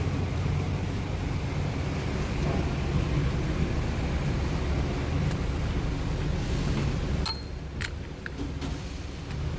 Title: F150 Humming Noise From Front Differential bearing Noise . F150 앞 디퍼렌셜 베어링 웅웅 소음